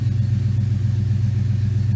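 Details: 1979 Firebird Esprit, 5.3 V8 swap with Powerglide, shorty headers, straight 2.25in duals, idling cold at about 30°C with O2 sensor not installed and open loop disabled; deep steady rumble, even pulse, no misses, good vacuum, idle spot on.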